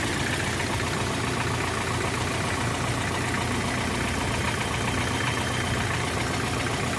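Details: Hyundai HR diesel throwing oil out the exhaust, with engine noise. Rough, uneven clatter with an irregular beat over a harsh roar; the turbocharger is one possible cause.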